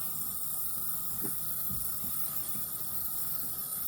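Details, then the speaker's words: Toilet fill valve cap with a broken seal underneath, so quiet it is barely heard with the lid on: a faint, steady, rhythmless hiss as water seeps past, enough to run up a 10,000-gallon bill; fixed by replacing the fill valve. "But there's a noise coming from this cap here. And after further investigation and pulling it off, you can see it's the seal underneath this cap is broken."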